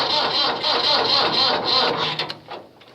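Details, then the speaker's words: Cold-start attempt on a 1494 tractor, unclear whether it has a block heater plugged in: starter whirs at about four turns a second with no firing, slowing then stopping as the battery dies; owner suspects low battery. "Oh, maybe not. Battery must be low power too. Crank it to one. Darn it! I killed the battery."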